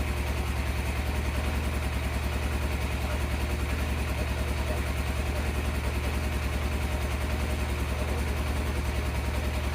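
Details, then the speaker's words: 1987 Yamaha FZR 1000 Genesis after carb cleaning and fresh oil (old gas possibly diluted the oil): rhythmic light rattle over a low steady idle, two or three beats a second; bottom-end noise persists, cause unconfirmed. "I mean, it does smell like a old gas and whatnot, so maybe it diluted the oil and it was weird, sounding weird, but let's give it a shot. The noise is still there."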